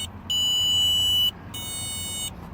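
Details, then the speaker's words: Two long high-pitched electronic beeps, about a second each, from a hidden starter-interrupt module somewhere underneath in a no-start car. After the starter is jumped with 12 V, it gives only a temporary signal to the starter and then shuts off. "Once I jump that off, y'all hear that buzz? Where is it at? It's under here somewhere."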